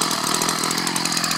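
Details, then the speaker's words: Ryobi 790r string trimmer, newly fixed after months, started in 40° cold weather: small two-stroke buzzes at a steady high pitch, even and smooth, no misses or surging; normal running. "I'm turn it on just I'm good God these things move around a lot but uh it's running"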